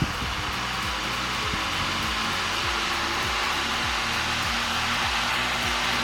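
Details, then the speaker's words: 1950s IEW Tara 16-inch DC vintage table fan, series-wound DC motor with brushes, on high speed: strong, steady rush of air with even motor hum, no rubbing or rattle; runs normally with high torque. "Let's put it to high. So as you can watch, it's having a very high torque."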